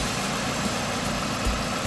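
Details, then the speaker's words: Car that idles rough/stalls with AC on, AC on but blowing warm, hesitating on rev: uneven, lumpy low idle thrum with occasional stumbles, engine visibly vibrating; cause not yet confirmed. "Okay, the guy just picked up. Seems like the system is having fun. Now, if you look at my engine here, it's vibrating."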